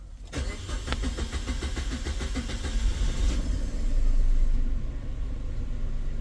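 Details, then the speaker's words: Maruti Suzuki Wagon R petrol engine, starting delay for 5-6 months, restart after 20 minutes off: about three seconds of even cranking before it catches and idles; long cranking. Mechanic suspects head valve/tappet problem. "यह start लंबा self लेती है पहले बार start हुई थी तेरी लंबा self ले रही है"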